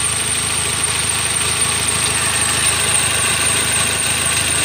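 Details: Toyota Avanza Dual VVT-i petrol engine idling with rough rumble and faint high hiss from front of engine; checked with stethoscope at tensioner, water pump, alternator, AC compressor, strongest at one pulley; belt removed to find rough bearing.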